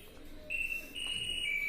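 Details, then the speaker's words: Onida top-load fully automatic washing machine at power-on: a steady high electronic beep with an F1 error; F1 usually means a failed water level sensor. "ಇದು ನೋಡಿ friends, on ಮಾಡೋಷ್ಟೇ ಸ್ಟಾರ್ಟಿಂಗಲ್ಲಿ F1 error ಬರ್ತಾ ಇದೆ. ಹೆಚ್ಚಾಗಿ ಈ F1 ನಿಮಗೆ water sensor indicator ಹೋದ್ರೇ ಬರೋದು."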